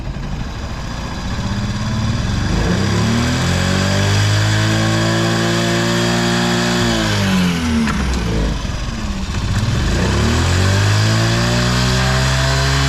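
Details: Vintage Honda Jorcub scooter (AF53-1000) running check, engine free of abnormal noise and quiet; revs up smoothly twice and settles back, pitch rising and falling cleanly, no knocks or rattles, healthy.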